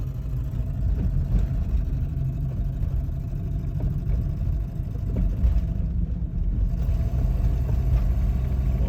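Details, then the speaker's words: High-mileage Volvo 240 with a faulty fuel gauge, running nearly out of fuel: rough uneven low drone with small stumbles every second or two; not spark plugs or cap and rotor, cured by refuelling; fuel starvation sputter. "is that turns out that is the fuel running out it's not the spark plugs it wasn't the cap and rotor or anything like that"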